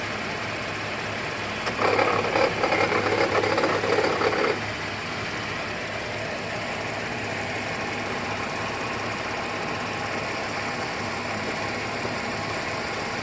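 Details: 2008 GMC Acadia SLT petrol idle after a restart with the key, following an auto start where it squealed and shut off violently: light metallic rattle two or three times a second, loudest early, sounding like a failing pulley bearing.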